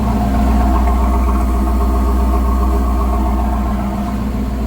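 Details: Rambler V8 with Holley Sniper EFI, about three years after install: steady, even, deep burble at idle with no stumbles or knocks, light sewing-machine ticking from injectors; normal idle.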